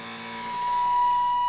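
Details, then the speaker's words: Dumble Overdrive Special #124 build tube amp in overdrive mode: piercing steady tone around a thousand hertz rises over the hum and holds; oscillation squeal, cause not yet found. "so we have to sort out there's this way again so if you can look the squealing is horrible"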